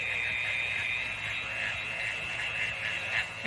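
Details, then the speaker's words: Bauer orbital sander, used to prep Suzuki Samurai floors, on max speed with a strong burning smell: a thin, high, steady whine with a scratchy edge and wavering strength. The motor is struggling on worn-out brushes. "oh I could smell it bad I don't know if you can hear that and that's like on the highest speed that it has too I think yeah it's on Max poor little fell"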